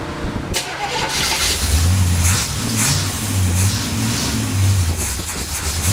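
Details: 283 V8 Sunday morning cold start: brief crank, fires and settles into a strong, even cold fast idle; healthy start, though tuning is still needed.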